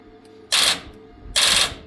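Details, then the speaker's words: Tuff Truck project: starter gives two dry clicks about a second apart with no cranking; owner suspects weak or bad battery lacks power to crank, jump-start mode didn't help; cause unconfirmed. "it does a good clicky click. I just don't think we have the battery power to actually start it because I don't think the battery is..."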